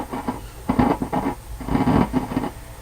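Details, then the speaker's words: Mesa Boogie .22 Cal tube amp: irregular crackles and pops over low hum when turning volume controls; suspected oxidized potentiometers, to be cleaned with contact spray. "the volume controls you get this pop and all kinds of noises"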